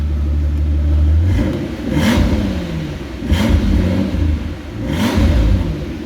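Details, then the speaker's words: 2005 Mercedes SL65 V12, 97k km, after ECU repair with original Brabus tune and fuel over a year old, revved in three clean blips with no misses; all 12 cylinders firing normally. "It's firing all 12 cylinders. >> I'm very happy now. >> Beautiful. Beautiful. Splendid."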